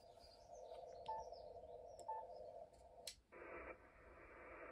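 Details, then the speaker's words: FTDX10 receiver on a small battery with house mains off, checking QRM on 160m at 1830: steady buzzy hash with tones persists, so the interference comes from outside the house. "so the house power off test and running on batteries showed that the qrm is not coming from my house"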